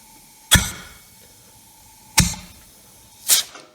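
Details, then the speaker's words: Generac GP7500E generator, under 20 hours: cylinder pressurized with a compression tester hose and the valve pushed open gives three sharp hissing bursts that fade quickly, so the cylinder holds compression. "good so we have compression"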